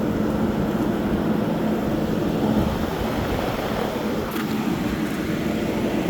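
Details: 2012 Frigidaire 8,000 BTU window AC, model LRA087AT7, dirty after sitting outside, set to 60 with the compressor on. Steady fan rush over a low compressor hum, no rattles or cycling; cold air at the front, hot air at the back. Normal operation.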